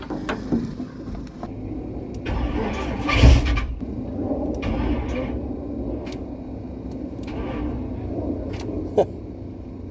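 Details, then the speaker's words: 1976 K5 Blazer that sat 5-8 or more years, replacement starter just fitted: brief cranking bursts with uneven dips and no catch. It cranks but won't start; the battery is low and the starters keep sticking, and owner may add the original starter's shim. "apparently this battery was pretty low and we are stuck so far every starter that's been on here has been stuck"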